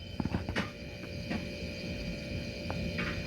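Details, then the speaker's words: Second-hand refrigerator compressor checked before buying, mic held close to the compressor: low steady hum with a faint constant whine and no rattle, only a few handling clicks; a healthy compressor should only hum, with no loud clanking. "Tapos pakinggan nyo mga ka-Diskarte Mo TV yung tunog ng motor. Ayan, so dapat ganito yung tunog ng motor compressor."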